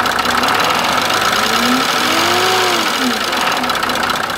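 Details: Mercedes OM603 diesel with no known history, recorded cold at idle after oil, filter, fuel prefilter and main filter change and diesel purge: uneven ticking/clicking knock about three to four a second over the clatter; source not yet diagnosed.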